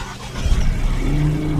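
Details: Petrol engine idles with an uneven, lumpy stumble: misfire with codes P0300–P0303; ignition and injector pulses reportedly present, cause still unclear.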